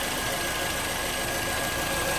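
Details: 2011 Toyota RAV4 idling after alternator and belt replacement (old alternator found bad), charging at 13.6 V; steady, even running hiss with faint constant whine, no knocks or surging; normal smooth idle.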